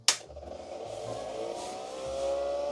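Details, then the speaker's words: Datavue Snap 1+1 portable MS-DOS computer reassembled and switched on: a click, then a whirring that climbs and grows louder. The cooling fan is loud at power-on. "well that makes some noise"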